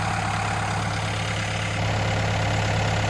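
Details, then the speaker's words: Doosan/Develon DX63 excavator diesel on a farm before servicing, warming up at tick-over: steady even idle drone with no knocks or misses, normal idle. "Right, we'll let that tick over. I'll get my boiler suit on. Yeah, it's warming up a treat, look, so that's good."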